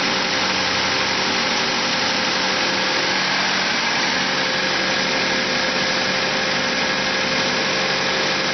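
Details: Car engine holding a steady, unusually fast idle with a constant hiss, never settling; it revs up at cold start and in P or N until shut off. Owner suspects a vacuum leak; carb cleaner spray test found none.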